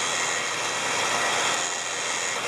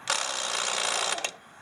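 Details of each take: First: Smittybilt winch on a Jeep TJ with the engine running, after its clicking solenoid problem was fixed by re-routing the ground to the fender: steady airy motor whir reeling in cable smoothly, no clicking or stalling. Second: Smittybilt winch on a Jeep TJ: about a second of harsh, rapid buzzing chatter ending in a sharp click as the solenoid/relay fails to engage properly.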